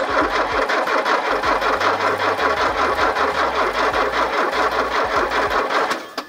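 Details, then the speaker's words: Porsche 924 left in a field about 20 years and off the road for at least 18, cranking on a jumped battery with an even starter churn and no catch; the K-Jetronic plunger is stuck up, giving fuel with almost no air and flooding the engine. "however the plunger is stuck up right now so it's giving it about 3/4 of the full fuel it needs but with basically no air so it's flooding the engine with fuel"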